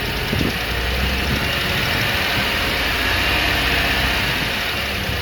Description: Does this sound like a lifter tick?